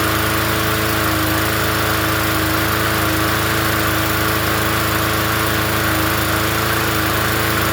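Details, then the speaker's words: Free 20-inch Bolens push mower from the dump, first start after sitting: runs steady and fairly even at fast governed speed, no misfire or knock, but blows a lot of smoke from oil in the muffler. "Oh, that had oil in the muffler. Okay. Well, wow. It doesn't run that bad. Boy, is it blowing some smoke out."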